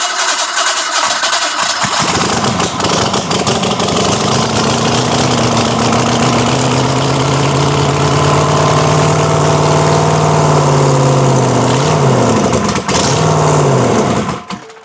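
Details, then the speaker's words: Bronco's freshly started engine running with no exhaust fitted, high-zinc oil plus zinc additive: loud, raw, open rumble holding a fast steady idle with a few blips; runs fine, just unclean-sounding because unsilenced. "I can't hear a damn thing, but it works. Yeah, it don't sound clean because there's no exhaust on it."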